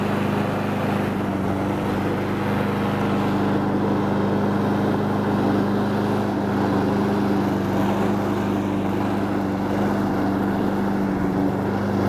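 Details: Honda Harmony 215 mower engine, warm, after a third carb cleaning; idle mixture screw tip broke off so there is no low-end adjustment. Smooth, even drone with a steady low hum, no misses or surges: running cleanly.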